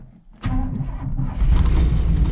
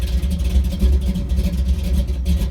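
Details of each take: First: 1983 Chevy C10 small block, cammed, carburetor with no choke, cold start: starter churns low uneven beat while fuel pressure gauge slowly rises, engine stumbling toward catching; extended cranking to pump fuel up. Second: 1983 Chevy C10 with a cammed small block and a carburetor with no choke, cold start in snowy weather: low, choppy thump with an uneven lope at idle, otherwise even; big-cam idle running normally.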